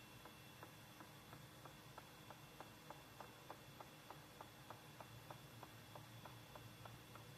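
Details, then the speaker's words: Unidentified machine in a closet beside a bathroom: steady tick-knock about three times a second over a low hum, evenly paced; something knocks each cycle, cause unclear. "I kept hearing this noise last night and it beside my bathroom. I said somebody knocking boots."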